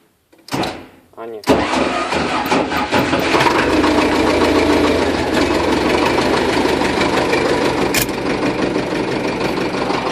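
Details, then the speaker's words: LTZ tractor diesel at start-up: brief harsh grind and clatter while cranking before it catches and idles, as the starter bendix fails to engage; the flywheel ring gear is likely worn. "А это бендик не цепляет видать венец венцу пришёл но он там был подработать"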